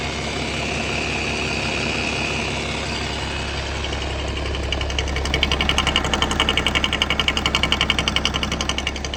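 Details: BMW with M57 diesel at idle: sharp regular knock about twice a second, louder partway through, loud only with oil cap open, caused by the vacuum pump and said to be harmless.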